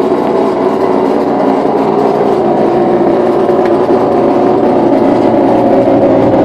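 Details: New LG LFC20786 refrigerator just plugged in: loud, steady buzzing drone like a motocross bike, far too noisy for a new fridge; source unclear.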